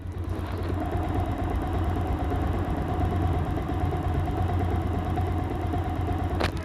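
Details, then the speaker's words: Old Bajaj Pulsar single-cylinder bike after engine rebuild with new parts and modified clutch housing assembly; steady low thump idle with no rattle or clatter, smooth and healthy, expected to get smoother after 200-500 km oil change. "গাড়ির থেকে sound ভালো হয়েছে ইনশাল্লাহ। আর বাইকটা যেহেতু নতুন কাজ করা হইলো 200-500 কিলো চলার পরে যখন ইঞ্জিন অয়েলটা পরিবর্তন করা হবে সাউন্ডটা আরও স্মুথ হবে।"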